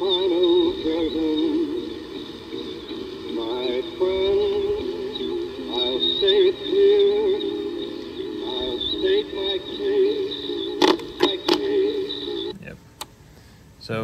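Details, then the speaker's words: Home-cut record made on a diamond turning lathe, played back: song recognisable through heavy hiss and crackle; owner suspects the matte disc surface from pre-turning on a normal lathe. "there you can actually tell what the song is and you can hear it playing but there's it's a lot noisier"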